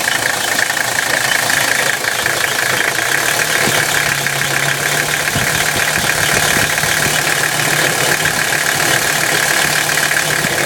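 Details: 1985 Mercedes-Benz 300CD turbodiesel with a harsh, gritty grind and a raised metallic edge over the running note; it gets louder around 1,500 rpm and is hard to hear above that; cause unknown.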